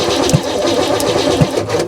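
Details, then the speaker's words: Old truck engine with spark confirmed, cranking: heavy single clunks about a second apart over an uneven chug, earlier heard from the intake. A valve hanging up is suspected, with fears of a bent valve if it is an interference engine. "that's a valve hanging up somewhere hopefully it's not an interference motor and we just bent the valve too"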